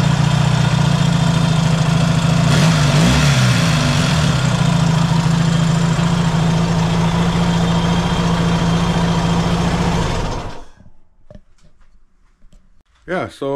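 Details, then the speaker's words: Yamaha XS650 twin after the cam chain was skipped one tooth to correct cam timing: steady, even running for ten seconds with a firm low beat and no popping or backfire, then shut off. It now runs much better. "it's uh running pretty good now I'm pretty happy about that"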